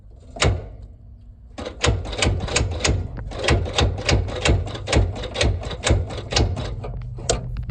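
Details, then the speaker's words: Ford Industrial 4500 gas loader tractor, sat a long time: starter clunks and grinds in slow labored bursts about once a second, barely turning; engine locked up, owner assumes it is full of water (or gas), unconfirmed. "It is locked up, in fact. I did a little work off camera."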